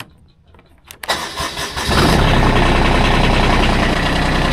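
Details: Kubota zero-turn mower that had refused to crank, after the simple fix was found: brief cranking, then it catches within a second and settles into a steady, even idle; normal start.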